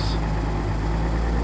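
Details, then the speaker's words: 1983 Nissan 280ZX Turbo, cold engine, troubleshooting bad idle and popping: deep, steady drone on high idle, smooth with no hunting. Owner says it sounds normal, high idle perfect right now. Suspects fuel injector, fuel pump or damper, throttle switch or airflow meter. "Seem normal, all making nice happy noises. There's a high idle, it's perfect right now."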